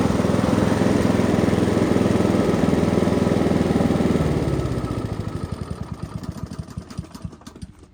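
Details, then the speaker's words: Free Honda mower: steady single-cylinder putter, then shut off and the beats slow and fade. Healthy engine, still needs minor tune-up (plug, throttle cable, fuel lines). "That seems like quite a healthy engine. Still needs minor tune-up work."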